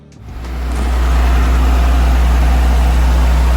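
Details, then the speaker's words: Nissan Stagea after timing belt adjustment and tensioner pulley tightening, warming up after start: catches quickly into a deep, steady idle. The earlier noise is gone, with no belt squeal or chatter. Normal idle. "Well, that took care of the noise for sure. Just letting it warm up."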